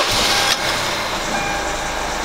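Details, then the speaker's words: Kia Grand Carnival, 100,000 km, engine started and heard louder near the wheel: a steady, high chirping squeak like a bird or cricket rides over the engine. The crank damper pulley is at fault; the fix is replacing the pulley. "There's a strange noise, like the sound of a cricket, like a bird, in addition to the basic sound of an engine"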